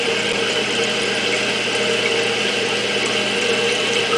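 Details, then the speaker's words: Toilet after replacing the fill valve with a Fluidmaster: even steady hiss of water into the tank with no chatter or hammering, shutting off as the float tops out; repair successful, operating normally. "Keep going up, should shut off here in a second. And it did."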